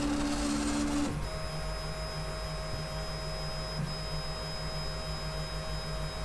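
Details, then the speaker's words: 3D printer X carriage with new webcam bracket, during auto home after levelling: stepper whine with coarse uneven rumble beneath, called terrible; owner suspects loose linear bearings, possibly a ball out, despite recent grease on the smooth rods. "Let's do auto home again. Hear that? Terrible."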